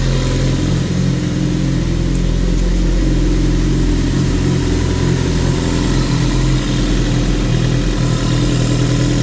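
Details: Suzuki GSX-R 1000 K9 with freshly replaced engine block: deep, steady rumble with an even beat, no knocks, ticks or rattles; running normally.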